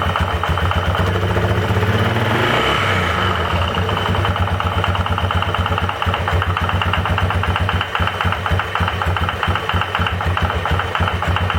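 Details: 2005 Yamaha Wolverine 350 4x4 idling after carburetor rebuild, new throttle cable, valves in spec: dull uneven knock about four per second; stethoscope suggests bottom end, owner suspects rod knock.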